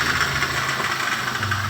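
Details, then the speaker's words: Toyota Wish, engine running at idle, hood open: rough, steady growl over the idle hum, clearly from the AC compressor; owner first heard others suspect the alternator. "Oke kap sudah terbuka dan mungkin teman-teman bisa mendengarkan suara ngorok dari prosesornya nah seperti itu temen-temen ini sangat jelas dari apa namanya dari kompresornya"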